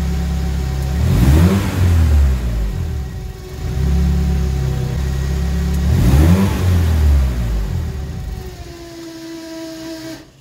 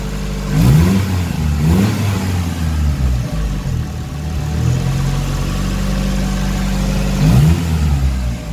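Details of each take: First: SR20DET turbo engine in an Escort, nearly at operating temperature, revved over 3,000 rpm: speed sags and it stalls within seconds even after cleaning sensors; the cause is turbulence from the MAF sensor mounted too close to the turbo. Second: SR20DET turbo engine in an Escort at operating temperature, after fixing stalling following revs over 3000 rpm, caused by too little distance between the MAF sensor and turbo: three clean blips return to a steady idle; normal rev and idle.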